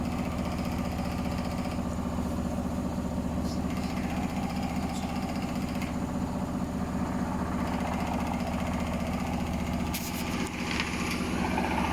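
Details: Hotpoint Smart Tech washer on a very unbalanced spin: a loud, deep drone pulsing about two and a half times a second, with strange noises.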